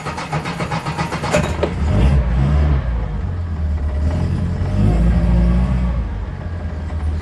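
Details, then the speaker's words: Reliant Fox started in neutral during MOT preparation, its first test since 2019: a brief crank catches at once and settles into a steady, even, deep idle with no knocks. The owner says she sounds as good as ever. Normal start and idle. "as good as ever she always sounds amazing foxanne here"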